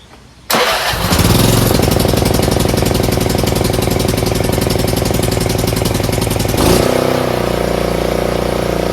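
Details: Craftsman RER1000 riding mower right after a collapsed fuel line was replaced: cranks briefly, catches cleanly and runs at a steady, even beat before easing down a little; normal start and run.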